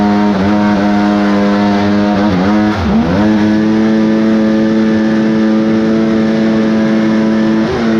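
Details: Kawasaki 1100 triple jetski engine in a mini aluminum jet boat, raised compression, at full throttle: steady high note then stumbles and dips as it breaks up; owner suspects pinging/pre-detonation from too-high compression or lost squish.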